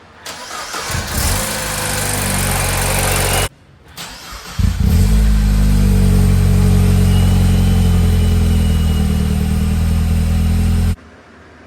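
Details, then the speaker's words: 2012 MINI Cooper Countryman R60 ALL4 S started after oil cooler leak and timing chain repairs: it cranks, fires and runs strong and steady, with a smooth rev and no ticking or rattle. Sounds good, no leaks. "Okay, fire it up. Give it a little rev. This sounds good. No leaks."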